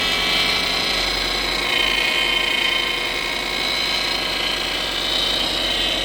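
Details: Whining power steering pump (owner suspects) on a 2007 Subaru Impreza at idle: constant high hum at steady pitch over the engine.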